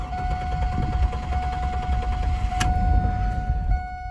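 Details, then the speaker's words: 2000 Chevy Camaro 3.8L V6, warm after a 30-minute heat soak at 62°F outside, with new ignition module, coils, plugs and wires: starter cranks evenly over four seconds before firing; fuel issue suspected, unconfirmed. "all right so it fired up but it did crank for a while so still thinking it might be a fuel issue"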